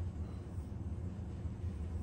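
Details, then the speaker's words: Bicycle wheel trued with zip ties and a spoke wrench; loosening two spokes in the middle of the rub spot eliminated the rim rub. Spinning, it gives a soft, even, consistent whirr with no scrape or rhythmic rub: the wheel is true. "you can hear how consistent this sound is very consistent sound so that lets me know that this wheel is pretty true"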